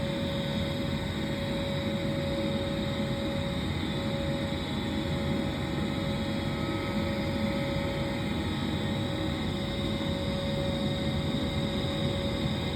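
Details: Trane gas furnace heating after its flame sensor was replaced to cure cycling on and off: a steady, even burner roar with constant blower hum, no clicking or cutting out. Normal furnace operation.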